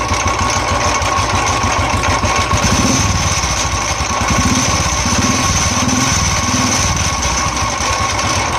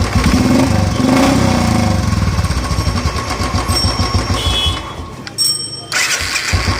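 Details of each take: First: Royal Enfield motorcycle at idle after self-starting, starter very noisy: uneven thump inside the engine around four per second that comes and goes, like something striking internally. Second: Royal Enfield single after fixing self-starter noise: brief crank, catches and settles into even thumping idle with no starter grinding or knocking noise; repaired and healthy.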